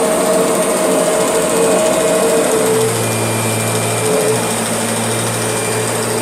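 Loud steady high motor whine with a fast rattling buzz riding on it, pitch dropping slightly midway; something's off inside the vacuum.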